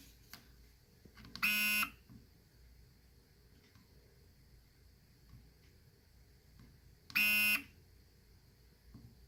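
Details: Nikon D90 showing Err: two short, harsh electric buzzes on shutter presses, with no mirror slap or shutter click. The mirror doesn't move but was checked and is not stuck; the cause is unknown.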